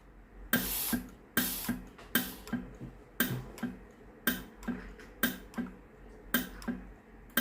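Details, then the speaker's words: Philips GC9622/20 steam iron with no steam output: sharp electro-valve clicks about every 0.8 seconds with no steam hiss; valve works but pump sends no water. "ได้ยินเสียงอิเล็กโทรวาล์วทำงานนะครับแต่ไอ้น้ำไม่ออกนะครับ"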